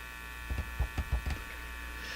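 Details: Canadian General Electric C67 tube radio: steady low hum with faint buzz under handling thumps, no station coming through even with an outdoor antenna loop; radio hum, open grid suspected, not confirmed.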